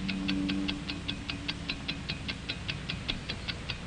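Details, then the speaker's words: Hamilton mechanical watch (1949 training film), balanced mechanism of springs, gears, pinions and bearings: crisp, even ticks about five a second, nothing irregular between them; normal watch ticking. "Inside, we find a beautifully poised and balanced mechanism of springs and gears, pinions and bearings."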